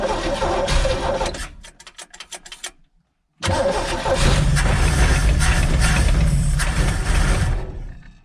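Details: 1964 or 1965 Chevy G10 van with a 90-inch wheelbase, first start after sitting at least 25 years, on choke at idle: starter churns, then it runs rough, loud and smoky with a quick light ticking. Owner hears a bad knock toward the back of the engine.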